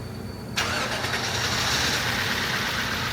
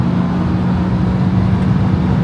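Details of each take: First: 1994 Acura Legend LS after head gasket, timing belt and water pump job, second start after replacing cleaner-damaged intake air temperature sensor: engine catches into an uneven lumpy idle; owner suspects a slight miss. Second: 1994 Acura Legend LS V6 after head gasket, timing belt and water pump replacement, now firing on all six cylinders: strong, steady engine roar pulling hard under acceleration, with no misfire or knock; runs like new.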